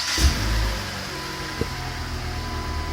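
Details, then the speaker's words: 2007 Chrysler PT Cruiser, 2.4 L non-turbo DOHC, which previously shook at idle (cylinder 3 misfire code). Started after a motor mount adjustment: low, steady idle, then in gear with no shaking. Much smoother, right where it should be. "holy smooth before you used to just feel this door shaking put it in gear holy smooth that's that's right where it should be way better"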